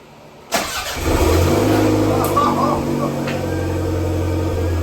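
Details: Toyota Gen5 3S-GTE engine, first start with the EFI fuse refitted after priming cranks: it fires at once on the first crank, rises briefly, then settles into a steady, even idle with no stumbling; a clean first start.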